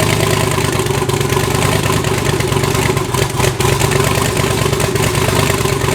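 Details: Twin-turbo V8 Pontiac G8 after head gasket replacement, new wiring and new coils, fitted to cure a misfire under boost: loud, steady idle with an even low rumble and no miss or knock. Normal idle.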